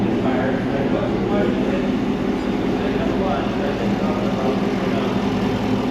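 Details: 2017 Cadillac Escalade 6.2 LT V8 with BTR cam, DOD delete and Corsa exhaust, idling at first startup on Holley while burping cooling system and warming oil: deep steady rumble, even, no ticks or knocks; normal idle.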